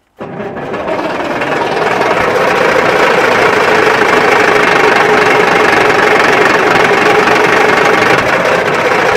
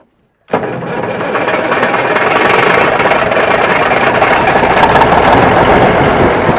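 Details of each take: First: Wrecked Peterbilt 359 diesel cranking at full throttle: steady starter churn with a few uneven hits that never catch. The crew suspects it needs starting fluid. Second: Wrecked Peterbilt 359 diesel after priming with fuel and starting fluid: after a pause it catches at once and settles into a steady, even diesel idle with oil pressure. The ticking heard is the fan clutch rattling.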